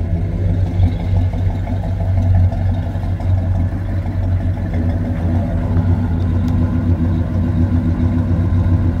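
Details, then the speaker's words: 1976 Chevrolet Chevelle Malibu V8 after fitting an Edelbrock intake manifold and four-barrel carburetor, timing about where it was, warming up: lumpy, uneven idle that drifts and hunts; idle air mixture still off, air idle screws to be cleaned and reset. "you can tell it's doing its own thing still it's not quite right I'm going to try to get the air mixture right"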